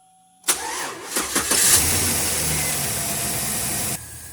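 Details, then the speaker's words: 2008 Chevy Silverado 5.3 V8 after replacing the spark plug on misfiring cylinder 7: brief crank, catches, settles into smooth even idle with no stumble. "and just like that just like that turn like a kitty so now we got it running good that's it was just a spark plug"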